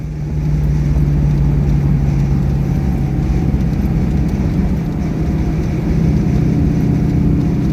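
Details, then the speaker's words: 2004 Modena Classic Design Ferrari 250 GT California Spyder replica, manual, driving through the gears from third to fifth and back down: smooth steady pull, no popping off throttle, no grinding on shifts; healthy with plenty of power. "So, we get some pickup. No popping on deceleration, no gear grinding, and tons of power."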